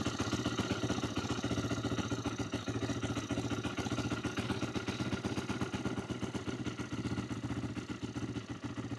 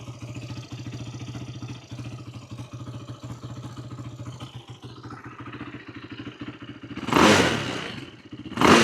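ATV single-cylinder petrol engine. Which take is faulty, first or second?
first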